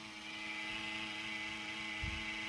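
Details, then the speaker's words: Original cooling fan in Tivo Series 3 HD (TCD652160): steady whirring hum with a hissy edge and fixed tones, still noisy even after slowing down, with little airflow; a noisy fan. "and even after it slowed down it's still making noise if we check the airflow not much at all"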